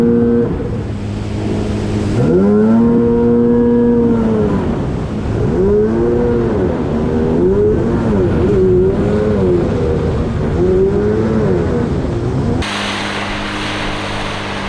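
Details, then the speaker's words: GP800R jet ski, straight full-throttle run held wide open: note climbs then sags and surges, losing power; owner suspects fuel starvation, not confirmed. "i'm not letting off the throttle i'm gonna hold it on and you'll hear it kind of lose power it's gonna totally lose power"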